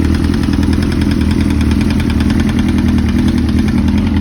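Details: 2005–2006 Suzuki GSX-R1000 four-cylinder at idle: a fast, steady metallic tapping over an even idle, identified as rod knock from a worn connecting rod bearing.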